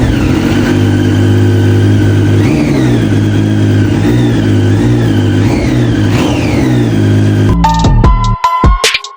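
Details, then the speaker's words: Abandoned Triumph Street Triple after injectors cleaned with throttle body cleaner: revs climb and drop cleanly on each blip over a steady idle, no misfire or stumble; now running properly. "Injector clean ചെയ്യാണ് ത്രൂട്ടൽ body cleaner use ചെയ്തിട്ട് വണ്ടി finally start ആയിട്ടുണ്ട്."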